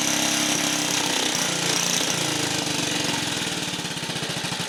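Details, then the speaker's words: 1950 REO single-cylinder engine after badly worn ignition points sanded (no replacement set), started first pull without choke: fires and settles into an even, steady putt-putt idle, no misses or knocks; healthy. "But it does run. We did get it running. It starts right up."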